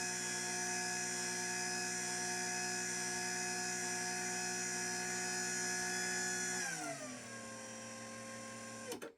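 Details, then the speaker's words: LiftMaster 87504-267 belt-drive garage door opener from 2021 with factory foam revisions, running in the down direction: a steady high motor whine holding one pitch, then gliding lower as the door stops; no plastic buzz. "Definitely has a high pitched whine to it, but I like I said, I'd rather hear that than the buzzing of the plastic that would sound like a 90 series Craftsman, which nothing against those machines, those are childhood beauties that I love, but uh don't really want my belt drive sound like that."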